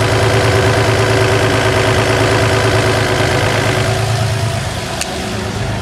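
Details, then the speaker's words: 1966 Chevrolet C10 with an inline six. It sits at steady idle with a smooth, even low rumble and no knocks or misses; healthy engine. "Será que existe som mais incrível do que esse 6 cilindros da Chevrolet aqui hum Será que existe"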